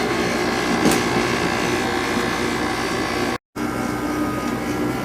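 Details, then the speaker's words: Second Sharp window air conditioner at first season startup after winter storage, compressor starting: a steady compressor and fan hum with a buzzing rattle as the cabinet vibrates against what it sits on. It is not low on refrigerant and still blows cold. "all right let's start the compressor off of course this frickin thing is vibrating on top of them"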